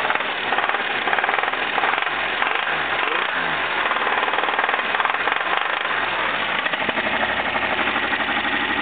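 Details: Jeep engine at idle with a hard, fast, steady jackhammer-like knock deep in the block. Four main bearings were found shot; the engine was replaced with a long block. Main bearing knock.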